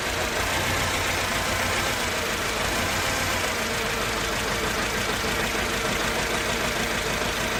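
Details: Mercedes-Benz C200 four-cylinder with uneven, stumbling idle, as if running on two or three cylinders, with backfiring and power loss under throttle; coil packs and all four plugs tested firing; misfire cause not found.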